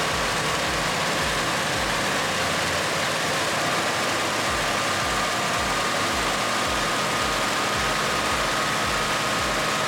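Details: 1964 Mercury Montclair, Ford FE 390 with cam and intake kit, running for the first time in about 40 years while ignition timing is being set: fast, even, smooth idle but too high, needs idling down.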